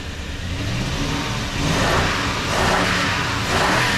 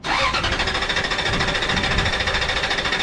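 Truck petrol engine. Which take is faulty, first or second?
second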